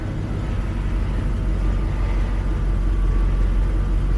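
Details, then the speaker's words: 1983 Mercedes 380SL V8, 78k miles, fuel system overhauled with new pump and injectors, started from cold: deep even rumble at steady low idle, no misses, knocks or ticks, oil pressure up; normal cold start idle. "that fires up nicely. Oil pressure's up."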